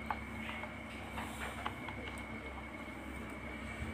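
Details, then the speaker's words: Miyako fan motor plugged in hums steadily but will not start; spins only on speed 3 when pushed by hand without blades, stops when switched off; capacitor, shaft, bushing and windings appear good. "dicolokin nggak berputar Tetapi kalau kita putar tangan seperti ini bisa berputar dan kalau dimatikan berhenti"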